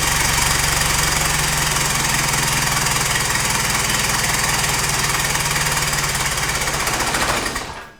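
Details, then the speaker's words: Isuzu 4JJ1 diesel swapped into a Nissan Patrol, first start-up after a starter motor was freed with a hammer: even diesel clatter at a steady beat for about eight seconds, no misfire or stumble; now starting every time, normal idle. "it's ran a few times now it's starting every kick which is good"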